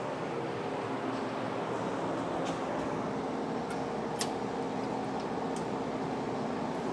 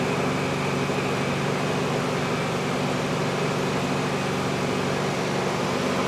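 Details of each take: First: 1971/1972 VW bus air-cooled four, started on high choke, choke already open: busy clatter with a slightly uneven, lumpy beat at idle; ignition timing out of adjustment, runs better afterwards. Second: 1971 VW Bus air-cooled engine running after another shop said it needed an engine: smooth, constant hum with fan whir, no ticking or knocking; engine sounds healthy, normal running.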